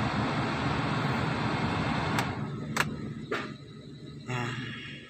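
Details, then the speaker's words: Nissan X-Trail T30 after a successful idle relearn fixing post-tune-up surging: steady, even idle with the AC switched on, no hunting or surging; rpm normal. "Coba kita hidupkan AC Ayo kita lihat lagi rpm nya hai oke sudah berhasil ya temen-temen ya rpm nya Normal Di"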